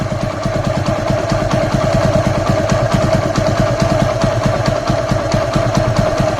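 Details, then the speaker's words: TVS Apache RTR motorcycle, cold start: steady low single-cylinder idle with an even exhaust beat, no dropping out and no knocks or rattles; normal idle. "अब ये देखिए कोई down नहीं मार रही गाड़ी और मैं गाड़ी चला के लाया था तब मुझे कोई डाउन नहीं म इंजन की आवाज सुनिए"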